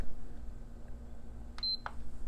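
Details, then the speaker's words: PS5 Digital Edition with a replaced HDMI port, said to need an HDMI encoder: one short high beep at the power button, then nothing. It beeps with no power light and shuts down; LED ribbon cable suspected at first. "oh she does well she beeped but I never saw a light she beeps again no lights"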